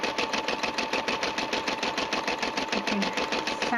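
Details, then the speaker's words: Brother SE 350 embroidering; quick, even stitching clatter about seven beats a second with steady motor hum, described as nice and even and dependable. Normal embroidery operation. "hear the sound is nice and even. It stitches very well. It's been a dependable machine."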